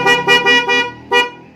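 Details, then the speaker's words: Denso snail horn newly installed with relay, powered straight from the battery, on an automatic Vespa, tested before tidying up: short, thin, choked honks lacking punch; installer suspects the horn is touching bodywork; weak muffled horn. "Nah apalagi f*** ada yang ganjil ya sedikit jadi tidak maksimal suaranya kena body mungkin nih bawain cobain"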